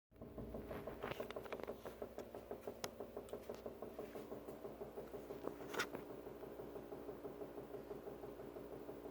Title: 5308 banging noise